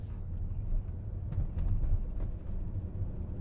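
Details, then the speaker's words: 2011 Volkswagen Jetta driving with a deep, lumpy, shuddering drone as it misfires under throttle near cruising speed, with the check engine light flashing. "and it gets really bad when you step on the gas when you get up to more of a a cruising speed there shaking right there you can probably hear it"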